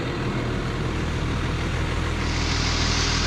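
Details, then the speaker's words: JCB Fastrac 3170 with 5.9 Cummins after a temporary fix of the cracked, chuffing exhaust manifold: steady low diesel rumble with an even beat and no chuffing; normal running. "which does sound a lot better with um without that chuffing listen sounds good"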